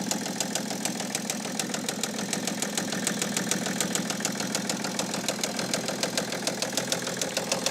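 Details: 2008 BMW E65 730d facelift diesel, first start after dead battery: sharp regular knocking about eighty a minute over an unsteady idle; unclear if top or bottom end, seemingly not firing on all cylinders.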